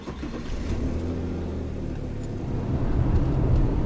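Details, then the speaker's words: Car on a test drive after alternator replacement, dropping a gear and revving past 4,000 rpm. Revs climb smoothly and evenly with no knock, whine or misfire; the engine runs normally. "beautiful everything is working perfectly and that is a job well done"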